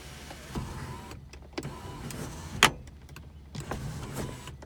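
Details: 2001 Toyota Avalon, 3.0 engine, automatic, 174,242 miles, front-end hit: smooth electric motor hum in short stretches with a firm clunk at end of travel; the sunroof motor works fine.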